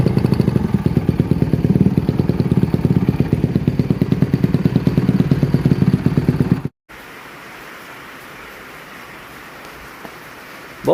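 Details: 2007 Honda CRF150RB dirt bike reassembled after buying as a basket case, with water found in it and new stator ordered; crisp, even single-cylinder pulses at a steady fast idle with no misses or knocks; normal running.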